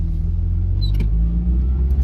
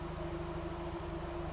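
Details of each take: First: NA Mazda Miata driving slowly in first and second gear after adjustment, mic inside car: steady, even low rumble with no stumbles or knocks; engine smoother, acceleration linear. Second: Mazda NA Miata four-cylinder, fully warm, idling: mostly steady with a brief stumble every so often.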